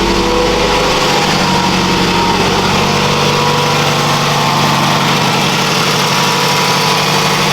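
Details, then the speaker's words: 2006 Scion tC revved just after installing a Takeda short ram intake: steady engine note rising and falling with throttle, smooth and even with no hiss or whistle; no intake leaks, now has a blow-off-like sound. "Alright, well, I don't think there's any leaks. Sounds good. Mm-hmm. So, kind of has a blow off now."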